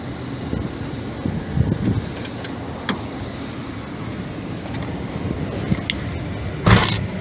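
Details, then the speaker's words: Car after rear main seal leak treatment, leak now dry: low, steady idle with no lope or rough idle under outside clatter; normal idle. "she sounds great you know it's no rough idle anything like that sounds really good it's perfect"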